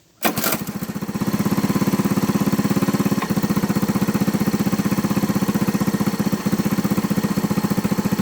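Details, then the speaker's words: Honda ATC 110 idling after the carburetor float and jet were fixed for fuel overflow, now with no leaks. Steady single-cylinder putt at about 85 a minute with an odd stumble every few seconds, an occasional misfire the owner attributes to timing. "Okay, so it's a little bit of misfiring, but that's a timing issue."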